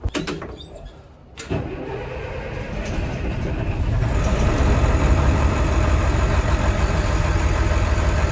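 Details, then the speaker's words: Old diesel bus (Merlin MB375 or Atlantean 1101) after priming the fuel pump, filters awaiting change: cranks briefly, catches in about a second and a half, then settles into a steady, even idle with no misses. "30 filters now they're starting it'll holding idle now I'll change them"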